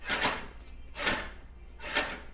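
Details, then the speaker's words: 20" California Trimmer reel against a new bed knife after bluing, filing and setting: even swishing passes about every 0.85 s with a light, steady hiss and no catches; smooth contact all the way across, before backlapping. "bluing filing setting the blade to match the bed knife you can hear that's all the way across nice and smooth"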